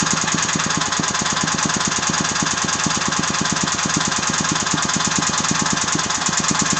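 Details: Agros walk-behind tractor (motoblok) single-cylinder engine at a steady run with a sharp, regular knock about three times a second in time with the engine, especially audible after 1:00; the owner does not know the cause of the knock.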